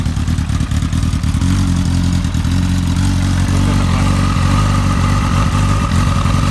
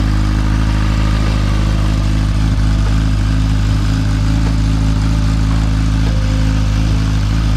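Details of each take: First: Motorcycle with an ongoing idle problem, before spark plug replacement: deep, loud idle stumbling and surging unevenly, rough hunting idle of unknown cause; owner plans to try new spark plugs first. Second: Motorcycle right after new spark plugs were fitted: a deep, steady idle with a constant low thrum and no surging, where the idle went up and down before. It seems to idle smoothly.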